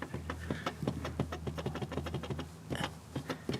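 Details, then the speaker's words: Chevrolet Corvette bumper pressed lightly with one finger: short dry squeaks and creaks in quick irregular bursts; bumper loose on the part holding it and rubbing, squeak audible in cabin. "Like this is one finger, and I'm not applying any pressure, and that is the movement in this piece with the actual like part that holds the bumper in. So you guys can see just how, and it makes this weird squeak sound."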